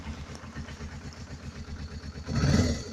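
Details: Suzuki GS500E twin after carb rebuild (clogged pilot jets), cold start after sitting overnight at about 55°F, on reduced choke: steady low idle pulses, then a quick clean rev rise on the throttle blip falling back smoothly; normal.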